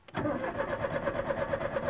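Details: Chevrolet Corsa died suddenly while driving at speed; starter cranks at a steady even rhythm with no firing or catch despite fuel and gas present; cranks but won't start.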